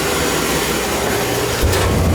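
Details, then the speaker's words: Field power venter above a furnace, reported by the owner as making a loud noise, heard running. A steady whooshing fan roar with a constant low hum and no scraping, squeal or wobble. The motor runs smoothly without vibrating. "nothing wrong with that thing that thing's running fine it's running smooth not vibrating or anything"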